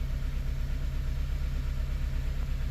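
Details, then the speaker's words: 2006 Honda Element K24 four-cylinder idling with uneven lumpy pulse; P0301 code, misfire counts on cylinder two traced to a bad fuel injector, confirmed by injector swap. "Cylinder two. Very rare, but man, we do have a misfire on a bad injector."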